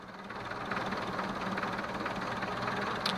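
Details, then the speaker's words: Renault 11 after thermocontact (fan switch) replacement, idling: steady soft whirring rises and holds as the radiator fan cuts in; owner considers the problem solved, though the fan seems to stop slightly early. "Il a déclenché devant moi, donc c'est bon."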